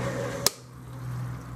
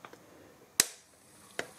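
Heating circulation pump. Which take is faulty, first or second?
first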